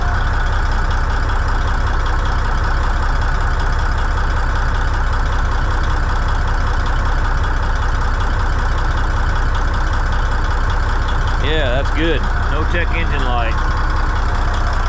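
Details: Old Cummins N14 diesel, just started after a new ECM install, no ECM codes, one pressure sensor still to be ordered: settles into a deep, even idle with a steady low beat, no misses, knocks or hunting, healthy.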